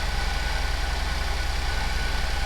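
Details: 2009-2017 GM 3.6 Chevrolet Traverse, after alternator replacement: smooth even idle with steady low hum, no knocks, whine or misses; charging at 14.8 V. Normal idle.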